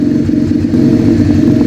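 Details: Rebuilt 125cc project bike after new throttle, started with a drill, not yet warm: loud, steady, throbbing single-cylinder idle with an even beat, no misses or knocks; running properly.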